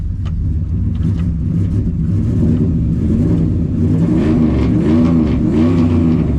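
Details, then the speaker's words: 2003 Ram 1500 Hemi V8 with 426,294 miles, started after the throttle body was cleaned and refitted: rough, stumbling revving that gradually smooths out as the throttle clears the fuel-loaded engine; a flooded engine cleared by revving. "There we go. That thing was loaded up. Man, that thing was loaded up, dude."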